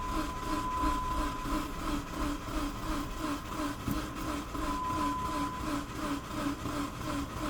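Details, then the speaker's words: 2005 Dodge Neon with a crankshaft sensor fault code, crank no start during a compression test: the starter chugs slower as the battery drains. "Okay, I can hear it starting to limp because the battery's getting drained."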